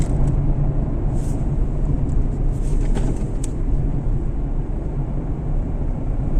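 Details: Fiat Panda 0.9 TwinAir Natural Power road test at low revs under load after replacing left gearbox-side engine mount: steady low engine drone over road rumble, no shudder or clunk, checking if earlier vibration and noise are gone.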